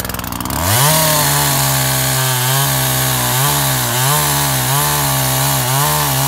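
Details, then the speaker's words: Makita top handle climbing chainsaw after ignition coil replacement, cutting wood: crisp high-revving two-stroke note pulling down slightly and recovering as it bites, running sweet; little chain oil, air filter missing. "ah seems to be running sweet can't get much chain oil though"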